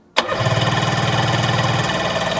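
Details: 1996 Sea-Doo HX 717cc, stored in a barn since about 2017, reported 150 psi per cylinder, possibly stale fuel: starter spins evenly about two seconds, never fires. Fuel line or delivery problem suspected, not confirmed.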